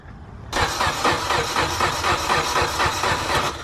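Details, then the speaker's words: Mitsubishi EVO X just after new headlights were installed: starter spins the engine at about four even beats per second but it never fires; they suspect the fuel pump fuse was pulled: crank no start. "see if it runs now what turn it on try it again hey did you P did you pull the wrong fuse huh did you pull the fuel pump fuse"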